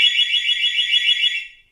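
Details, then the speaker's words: Hawk golf car security system key fob panic button: loud, shrill warbling siren sounds about two seconds then cuts off cleanly, sounding again on each press; normal panic alarm. "So basically what it's going to do is it's going to sound for, you can hear it, it's about 2 seconds that it sounds. You hit it again, it'll sound once again."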